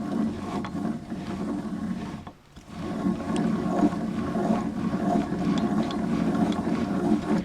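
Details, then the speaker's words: Wheel hub turned slowly by wrench with the wheel bearing still bolted to the strut, on a car whose strut is rusted through: rough, uneven low growl from a completely worn-out wheel bearing. "So you hear that growling, me just turning it with the wrench, while with it bolted to the strut, the tire magnifying everything, there's no question this wheel bearing is bad."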